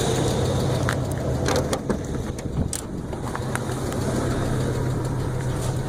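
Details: 1981 Buick Electra Limited before a tune-up, known to run rich with a loud belt squeak: loud, deep idle with a slightly uneven lope and some shaking; rough idle.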